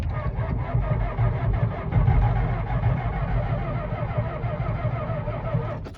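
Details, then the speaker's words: 1992 Ford F-250 IDI diesel, non-running, new glow plugs fitted, electric fuel pump on, in neutral: heavy, dragging, uneven crank that never catches; slow cranking, batteries suspected a touch low, to be charged. "Sounds like the batteries are a touch low. So I'm gonna unhook the batteries, give them a charge,"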